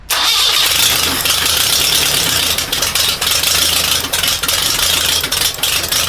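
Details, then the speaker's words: Air-cooled engine first start with a rebuilt K133 carburetor: catches, then runs ragged and uneven and sags as if about to die; owner concludes there is an intake vacuum leak. "Okay, I get it. There is a vacuum leak somewhere. I'm going to check."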